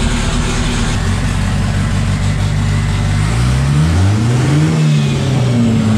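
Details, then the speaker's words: Freshly assembled 500 hp 2.3 engine, after a heat cycle, on a mix of 87 and Q16 fuel: steady, even, lumpy idle with a deep rumble and no knocks or ticks, holding oil pressure. Normal idle. "it's got oil pressure still it runs pretty smooth"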